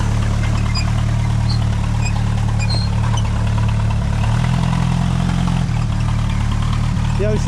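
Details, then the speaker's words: 1988 Jeep Comanche Chief, first start after sitting 10 years: lumpy, uneven low idle with a shaky, loping beat and dull exhaust rumble; rough idle, cause not yet known. "she bounces like she's throwing ass. She bounces like she's throwing ass."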